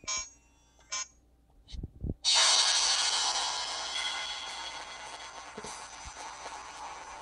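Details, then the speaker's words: HTC One S phone speaker playing Max Payne: thin, harsh, crackly sound with little low end, cutting in and out; not heard on a Galaxy S2; owner unsure whether hardware or software, replacement unit ordered. "there's the crackling. It's definitely not supposed to sound like that."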